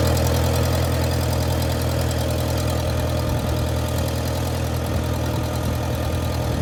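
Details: 1959 Case 300 tractor petrol engine with updraft carburetor, warm day, clutch disengaged, after generator repair: steady low chugging idle with no knocking or grinding; runs as it should and the generator is now charging.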